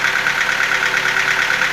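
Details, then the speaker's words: Nissan QG15DE engine at a cold start: a fast, even ticking knock over the cold idle that grows stronger. It fades as the engine warms, but a ticking remains. Source unclear. "Вот запуск, как сказать, на холодную. Что-то все сильнее, сильнее начинает вот этот стук проявляться."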